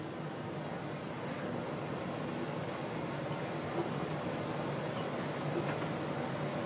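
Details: 1980s 54-inch white plastic Emerson ceiling fan with some wobble; steady, even air whoosh with soft motor hum and no knocking or scraping, still runs great, normal running.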